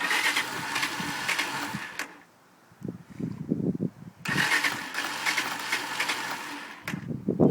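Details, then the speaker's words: TMEC 125cc four-stroke bike that cut out when stopping or on throttle, now won't start; petrol and oil topped up, battery fine: two bursts of steady starter whirring, about two seconds each, with no firing; crank no start. "you are guys I'm making this video because my bike will not start I've not got a clue what's wrong with it"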